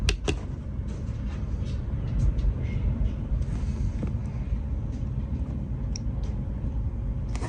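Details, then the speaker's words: Chinese diesel heater in a caravan, started after priming a long fuel line from a rear tank: steady low fan rumble with faint injector ticks; fans on, injector pulsing, glow plug off, heat coming out, running normally. "excellent that's all up and running so we've got our injector is pulsing we've got our fans on we've got heat coming out"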